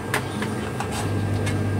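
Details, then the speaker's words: Household power amplifier with the volume turned full up: a steady low hum with no music coming through on this channel. The cause of the hum is not yet known. "Nah, di sini bisa sahabat dengar untuk di bagian suaranya, hanya menimbulkan suara dengungan. Oke. Jadi suaranya itu ada menimbulkan suara dengung."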